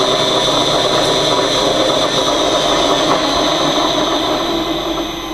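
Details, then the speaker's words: Old 1940s-era three-phase motor run from a VEVOR/HY VFD on a test bench at no load: steady hum with a fine, uneven rattle; owner unsure if worn bearings or loose bench mounting. Motor rattle. "you can hear that my ancient motor probably from the 40 1940s is uh uh kind of rattly i don't know if it's terrible bearings or the way it's sitting on the bench but that's the way it is right now"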